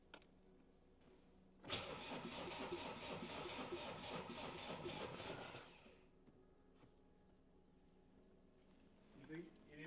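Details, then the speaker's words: Land Rover Defender diesel with freshly swapped new engine (old one snapped crank, holed block), first start attempt: steady cranking about four compressions a second, never fires; battery only ~11.6 V, fuel line hand-primed by sucking, owner suspects low battery. "I think this battery needs charging because it's only like 11.6."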